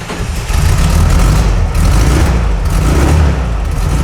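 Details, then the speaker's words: 1969 VW Beetle, previously not running or dying off throttle, after repair work: steady low air-cooled putter holding an even idle with no misses, knocks or stumbles; engine now starts and keeps running. "There we go, it runs. So that's a marked improvement on last week."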